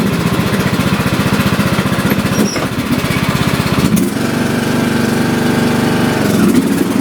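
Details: About 10-year-old John Deere D110 lawn tractor, test run after drive belt replacement (was slipping and smoking), deck on: steady chugging beat about three per second, load changes partway, settles into smooth hum; runs normally.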